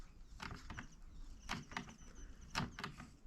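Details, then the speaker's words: Beam engine: quiet turning with scattered uneven clicks and knocks about once a second and loose rattles, like skeletons tap dancing on a tin roof; rattling and knocking. "you can hear all that rattling and knocking [Applause] it kind of sounds like a couple skeletons tap dancing on a tin roof"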